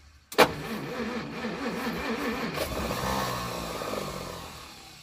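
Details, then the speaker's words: 1937 Pontiac Silver Streak barn find, long sitting, cranking with ether, choke off: starter cranks with even chugging beat but engine never catches; no-start from weak spark, points suspected bad and inconsistent. "it just doesn't have good enough spark"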